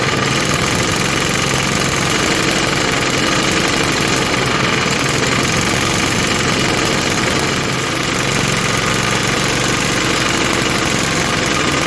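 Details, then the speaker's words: 1948 Johnson Iron Horse small 4-stroke single-cylinder utility engine, started on choke with the fuel bowl filled: busy, rattly running at a fairly steady speed with a slightly uneven beat; owner says the carb needs tuning, and oil is seen burning off. "obviously need some carb tuning and everything but that is pretty good i'd say looks like some oil coming out of there burning off and stuff"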